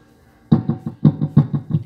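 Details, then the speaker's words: DB Audio AV602 amplifier after repair of a whistling complaint, tested with a microphone: thumpy mic hits followed by quick repeating echoes, clean output, no whistling. Normal echo effect. "ayun, so may echo na rin, no?"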